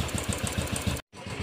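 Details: Steady, even single-cylinder thump at about six to seven beats a second on a Royal Enfield Classic 500 BS3 EFI after freeing a stuck relay that caused the starting problem. Healthy idle.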